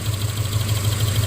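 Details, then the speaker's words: 2009 Subaru Forester 2.5 at idle: pulling the spark plug wire on cylinder 3, the back cylinder, leaves an even idle with only a light spark snapping tick and no knock; the rod knock is on cylinder 3. "And when I pull this wire, listen to the sound of this. Hear that? It goes away."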